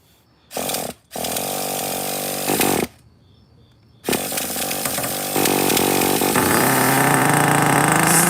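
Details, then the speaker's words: Traxxas T-Maxx Classic 2.5 nitro engine, primed; it slipped badly earlier but now seems fine: short starter bursts, then it fires into a high, steady buzz that climbs cleanly. Transmission shake while cold; it needs to warm up. "That's a transmission shake. Don't worry about it. It's good for it. It just got to warm up."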